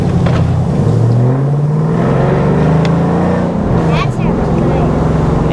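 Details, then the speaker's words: 2011 Chevrolet Camaro SS LS3 V8 with manual gearbox, previously parked for a bad engine noise, driving: smooth V8 pulling up through the revs, even pitch, no ticking or knocking; sounds healthy under load. "it sounds good"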